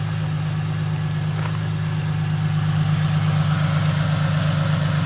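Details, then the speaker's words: 2005 Ford Mustang, rebuilt, retimed donor engine on first start after sitting about 12 years: smooth, even idle with a steady low rumble and no knocks, ticks or misses; idle settled right down, healthy. "Looking good, though. Oh yeah. That is sweet, guys. You hit her idle right down. Perfect."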